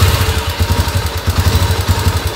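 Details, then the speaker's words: Tenere 350 supermotard with a modified carbureted NX 350 Sahara single, first start after the new exhaust was fitted, no radiator yet: a deep, slow, uneven loping idle that barely stays running. Idle speed is set too low. "a baixa marcha lenta demais achei ruim"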